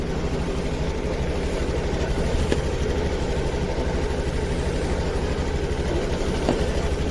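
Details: Honda Activa 6G scooter with missing complaint, unheated single-wire O2 sensor showing no voltage change even when warm and revved: low idle with uneven stumbling beats about three a second; misfire from a faulty oxygen sensor.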